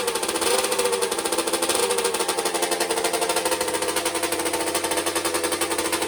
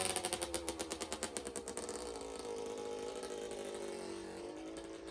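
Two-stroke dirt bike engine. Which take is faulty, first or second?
first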